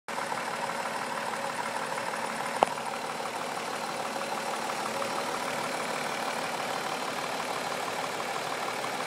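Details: 2004 Mazda 6 3.0L V6 with 94K miles idling roughly, with a soft, low knock pulsing about three times a second; owner unsure of the cause.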